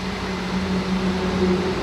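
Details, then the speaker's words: 2014 Ford Fiesta Zetec 1.0 Flex with the faulty coolant temperature sensor, wetted by an internal coolant leak, which caused rough first-start idle and injection light: steady low drone, constant pitch, no misfires; idling smoothly. "Estabilizada. Era nesse momento aqui, eu tocava arranque, ele não ficava em marcha lenta. Ele ficava todo quadrado, acendia a luz de injeção, às vezes apagava. Mas tá aí, ó, funcionando."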